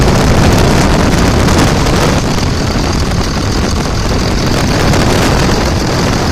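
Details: 2000 Dodge Ram Cummins diesel idling after an AC pulley bypass with a 65" non-AC serpentine belt, belt aligned on the water pump pulley: steady, even clatter, no squeal, chirp or knock throughout; healthy idle.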